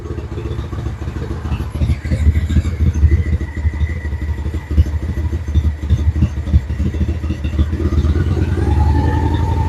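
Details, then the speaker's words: Honda Shadow Spirit VT750 on new Chinese carburetors, just started, choke opened: lumpy, uneven V-twin idle with irregular low thumps and near-stalling dips because the idle speed was set way too low; owner then raised it. "All right, so the idle was set way too low. I just increased the idle."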